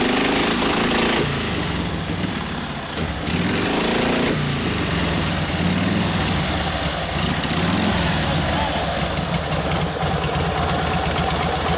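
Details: 1952 Harley 74ci panhead with freshly rebuilt top end and rebuilt Linkert carb, on full choke: loud, uneven V-twin putter that picks up with throttle and hangs unevenly, running lean on the carb.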